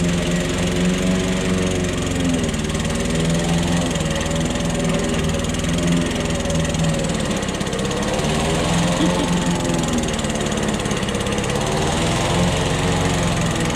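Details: Old Toro lawnmower that sat for years, cutting heavy grass. A steady, even single-cylinder drone holds speed with no misses or knocks. The owner suspects a sticking, fuel-dripping float. Normal running under load.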